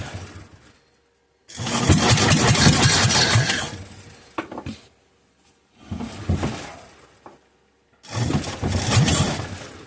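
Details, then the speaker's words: Kohler K241 10 hp engine that sat for years: cranks and catches in short sputtering bursts of a couple of seconds, then dies each time, running only on fuel poured into the carburetor. "I'm going to fill up the carburetor and see if it'll just run and stay running"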